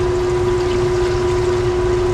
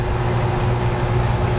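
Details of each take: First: Faulty Dometic air conditioner on a Cruisers Cantius 50 yacht, heard in its cabin compartment: it starts with a steady hum, then makes weird crinkly crackling noises and trips the circuit breaker. The unit was later replaced. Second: Dometic air conditioner on a Cruisers Cantius 50 yacht, newly replaced unit after faulty one kept tripping the breaker, switched to cold air: steady even hum with smooth airflow rush, no rattles or surging; running normally.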